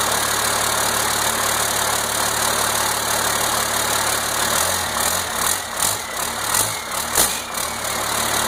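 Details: 1992 Cummins 5.9 12-valve diesel, first start after complete rebuild, fired once 12 V connected to fuel solenoid: steady even diesel clatter, no misses or knocks; normal idle.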